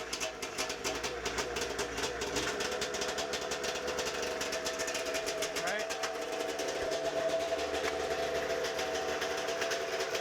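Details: 1992 Arctic Cat snowmobile, first start after ignition and safety switch wiring work: fast crisp two-stroke buzz holds steady and rises slightly with throttle, no misfires; runs cleanly.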